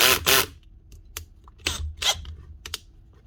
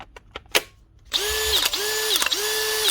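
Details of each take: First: Cordless drill after swapping the bad gearbox for a complete replacement gearbox unit on the good motor: short bursts of clean, even motor spin with one speed ramp and no grinding or rattling; normal drill operation. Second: Makita DHP486 cordless drill with a worn mode selector stuck in clutch mode: motor whines in repeating surges broken by sharp clicks as the clutch ratchets; the drill also has a history of gearbox issues.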